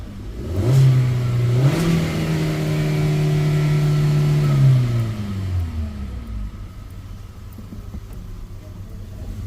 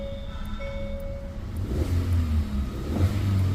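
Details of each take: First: Hyundai Verna new model, petrol with CNG fitted, after new plug fitted and coils checked, check light gone: engine revs up cleanly twice and returns to steady idle, no stumble or misfire. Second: New-model Hyundai Verna, petrol with CNG fitted, check light on, just started: uneven lumpy low rumble, code P0302 cylinder 2 misfire, with vibration and no pickup; spark plugs already replaced.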